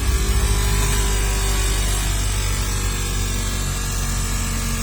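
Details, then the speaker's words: Maruti Swift Dzire dashboard AC blower switched on: loud steady whirring roar with an uneven flutter and rattle, caused by paper and debris lodged inside the blower motor fan. "Sound വരാനുള്ള കാരണം ദാ നമ്മുടെ ബ്ലോവറിന്റെ മോട്ടിന്റെ ഉള്ളിക്ക് പേപ്പറും കഷ്ണങ്ങളും കേറിയിട്ടുണ്ട്"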